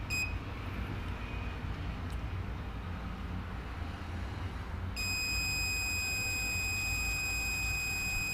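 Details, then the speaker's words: Multimeter on buzzer setting, probes touched together: a steady high-pitched continuity tone with a reading of 0, showing a closed circuit. "Now we will take the wires and we will touch both. And it will show 0 also. Buzzer sound with 0."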